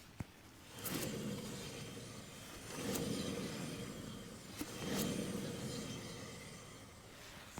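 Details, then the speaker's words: 1995 Ford F250 2WD, left front hub spun by hand with the hubcap off: a rough, gritty whirring roar fading as it slows; bad wheel bearing. The right side made only slight caliper drag; bearing to be replaced. "Makes kind of a whirring noise. Definitely bad wheel bearing on this side."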